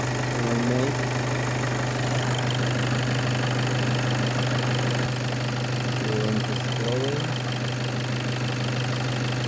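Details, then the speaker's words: VW Passat B8 2.0 TDI EA288 (DFGA) diesel after repair and coolant bleeding, warm idle with coolant temperature almost 90 °C after adding about 1.5 L during warm-up: steady low hum, light regular clatter, no odd knocks. "So coolant temperature is almost 90."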